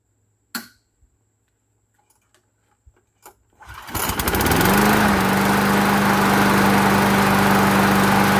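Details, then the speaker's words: Older, restored Weed Eater mower with a Briggs and Stratton engine, after fixing a no-spark issue: it catches after a few clicks and holds a high, steady drone, running too high on RPM. Owner plans to bend the governor spring in to lower it. "I'm going to go ahead and bend it in a little bit because it's it's running a little too uh little too high on the RPM side"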